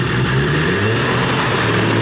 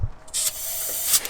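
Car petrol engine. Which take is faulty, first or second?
first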